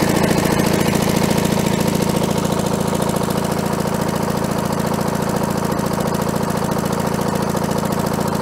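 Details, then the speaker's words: Allis-Chalmers diesel track loader, sat many years, running after a fuel leak fix: steady, even diesel chug of a little over two beats a second with no misses, worn muffler; healthy idle. "yeah baby doesn't look like we got any [Music] leaks listen to that baby purr"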